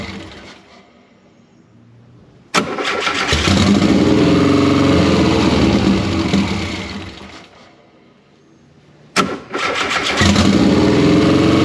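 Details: 1973 VW Super Beetle with swapped Subaru engine, idle air control not set, suspected leaking injector: fires, runs a few seconds, sags and stalls, then is cranked again; can't hold idle.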